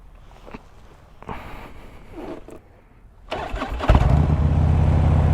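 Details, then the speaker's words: Harley-Davidson Electra Glide V-twin starts at once and settles into a steady, deep, even lope. A squeak comes from the exhaust bracket on the saddlebag, which vibrates and rocks the exhaust up and down. "and she fires right up the squeak i don't know if you can hear that that's actually where the exhaust is bracketed onto the bottom of the bag and it vibrates so much that the bag causes the exhaust to rock up and down"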